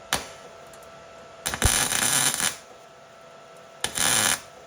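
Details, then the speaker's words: Welding on a 1991 Mazda Miata with metal cooled to room temperature between passes; crackly, uneven sizzle with pops as primer contamination spits in the weld. "so you can hear it's kind of sputtering a bit that's what I was talking about in the last video I haven't had good luck with the weld recording"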